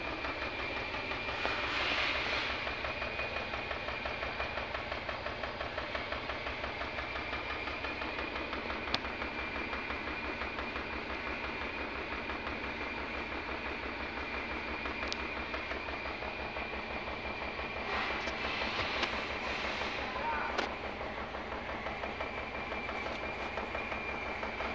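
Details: Idling car engine vibrating heavily with an uneven, lumpy beat and shaking: cylinder misfire at idle.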